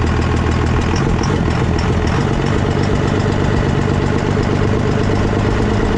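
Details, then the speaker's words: Diesel pickup with 24-valve engine just converted to a P-pump, first start after swap, fuel leak noted at a valve: steady, even diesel idle with firm clatter, no misses or hunting; running normally. "guys can tell, the truck does run. It sounds like it's running pretty good."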